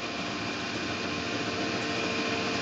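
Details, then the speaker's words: 2000 SCMI Sandya 3 37-inch wide belt sander, one owner with extremely low use, table raising and lowering with digital readout. A soft, even motor hum with no grinding, clunks or squeal: the lift is dead quiet and healthy. "You do have your digital readout. As you can hear, it's dead quiet as it raises and lowers."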